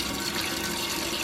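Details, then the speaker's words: Running toilet after fill valve and float replacement: steady, unbroken rush of water refilling the tank after a flush, no hiss or sputter, shutting off at the fill line; normal refill. "so now if you flush the toilet you'll see it goes down and you'll see it drains right to the top of this and completely shuts off"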